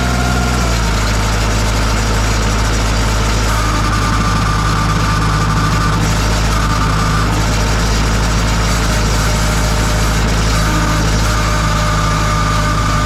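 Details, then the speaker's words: 2002 Kubota MX5000 DT tractor with a front loader: the diesel idles under a steady high-pitched hydraulic pump whine. The pump was suspected, but a clogged hydraulic filter starved it, so there was no pressure and steering and loader stopped working. "So when the pump starts to make that noise, it's not circulating hydraulic fluid. It's not pumping up pressure."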